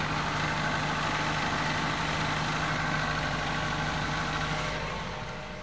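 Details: Nissan Primera engine at idle: a steady tapping about three times a second riding over the run; an engine knock, source not identified.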